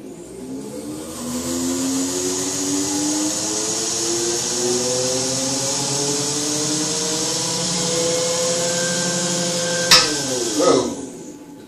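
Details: BMW E31 840Ci EV conversion, first bench run of completed drivetrain in park, electric motor through automatic gearbox: smooth whine climbing steadily then dropping cleanly, no grinding or clunks, about 12 A DC while revving; healthy.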